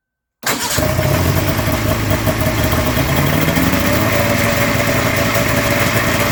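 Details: Polaris snowmobile two-stroke after a new fuel pump was fitted: fires right away and holds a steady, busy idle without misses or stumbling; engine running normally.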